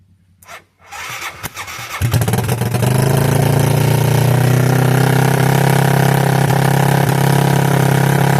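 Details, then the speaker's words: 1986 Yamaha YFM Moto4 200 ATV after carburetor work, with a tight throttle cable, once warmed up: engine holds a high, steady drone instead of dropping to idle, after running a while; owner suspects a sticking needle valve; high idle when hot. "Heat up here. What the hell makes it do that? It sounds like a almost like the damn needle valve sticking. I know better than that. It runs so long and then it does that."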